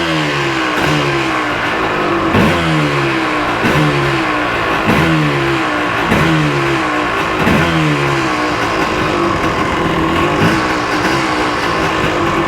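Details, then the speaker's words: 1986 Yamaha Tri-Z YTZ250 two-stroke, just started and choke off. Crisp buzz with repeated clean throttle blips, revving freely and evenly. Normal running. "I'm really impressed at how easily this thing starts up."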